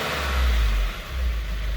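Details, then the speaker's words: 2018 Subaru WRX on a lift after installing a GFB blow-off valve: a quick rev blip falls back cleanly to a steady idle with no hesitation or stumble; engine running right. "how'd that sound any hesitation or stumble none at all"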